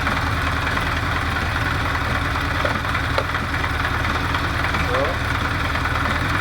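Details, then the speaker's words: Recommissioned 1973 Honda CB500 Four at idle with air filter fitted, during an emissions check per cylinder: fast idle with an uneven, stumbling beat. The owner suspects the second cylinder from the right, probably running lean, is the one that sputters. "That's the second from the right. That is running lead, I think. I'm pretty sure that's the one with sputters."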